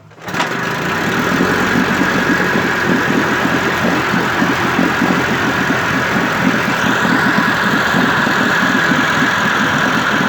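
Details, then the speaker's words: 1958 Evinrude 18HP Fastwin two-stroke outboard with replacement powerhead, new rings, head gasket, crankpin needle bearings and NGK B6S plugs, warmed up. Fires instantly, settles into steady, even buzz without stumbling or misses: normal warm start. "I always like to get it to start first time once it's warmed up. If it doesn't, something's wrong."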